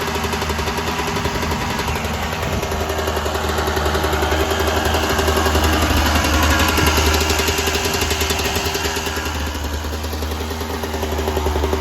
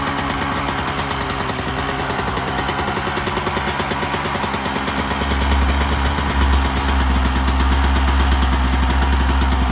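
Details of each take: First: 1996 Yamaha YZ250 two-stroke, fully warmed up, pipe too hot to touch, before carb work: revs swell then sag under throttle; small blips okay but bogs with more throttle, suspected pilot jet issue in carb. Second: 1996 Yamaha YZ250 two-stroke just after carb tune-up, still cold, just starting to warm: crisp even ring-a-ding idle with steady low popping beat, no hunting or stalling; normal idle, much better than before.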